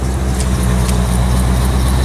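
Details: 1985 C4 Corvette V8 at cold idle on a 14-degree morning after the negative battery cable connection was fixed. Steady, even low rumble with no knocks or ticks; healthy idle while warming up.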